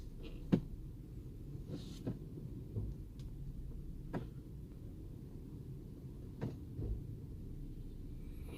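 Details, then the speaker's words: Toyota Prado 120 at about 190,000 km, idling: single sharp clunks each time the automatic selector moves between D and R; owner suspected a stretched transfer case chain, and replacing the chain removed the knock. "не знаю слышно будет или нет при включении с d на r или наоборот происходит стук"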